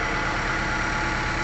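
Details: Diesel engine on a replacement block whose oil pan didn't match and fouled at the rear (pan swapped); steady idle with breathy rushing note — fits crankcase blow-by.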